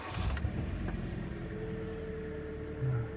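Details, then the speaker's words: Kia Cerato 1.6 G4FC, automatic, 212,000 km, first start after block sleeving for piston knock: quiet, even low hum with no knocking or ticking; smooth healthy idle, not yet warm. "Пошло всё хорошо Машина работает ровно машина работает Тихо"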